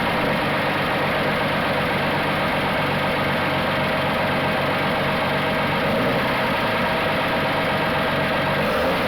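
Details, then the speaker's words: 1980 Dodge D150 at full operating temperature after a drive, idle being adjusted down because it sat too high; a steady, even idle with no knocks or misses. It sounds somewhat better, a normal idle. "so seems to be a little better"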